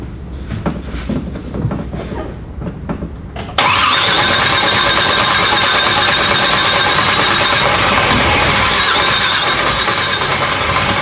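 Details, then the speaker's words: Corvette twin-turbo engine on methanol, cold start: loud rough idle with steady metallic clatter over the exhaust, attributed to the torque tube; clatter is bad at idle and clears above 2,000 rpm; fuel and oil pressure good, not smoking. "The torque tube just sounds bad. As soon as it gets over 2,000 RPMs, it clears up. I know y'all can hear how bad it sounds. Really just does it bad at idle."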